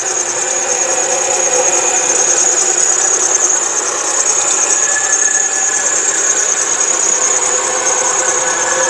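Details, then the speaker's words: 2004 Chrysler Sebring sedan, 2.7 L V6, automatic, idling: a steady high-pitched squeal over the engine, a mild serpentine belt squeal from the accessory drive, though the engine runs strong. "this is a 2.7 liter V6 as you can hear it's got a little bit of a belt squeal but the motor is pretty strong and it does run pretty good"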